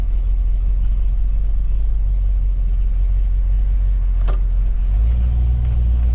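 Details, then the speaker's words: 1977 Jeep Cherokee Chief after a new ignition and a rebuilt carburettor: steady, deep rumble with an even beat and no misses or stumbles; now running normally, much better than before. "it's already sounding better foreign [Music] [Music] much better"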